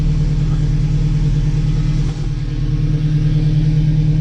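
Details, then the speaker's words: Newly installed engine on its first start, as the fuel reaches the rail. Low power steering fluid is heard squawking, and oil pressure is decent. Deep, steady, even rumble with no knocks or misses: running normally. "there we go just kind of clearing up herself a little bit a low on power steering fluid I can hear it squawking this is really really good we got oil pressures decent"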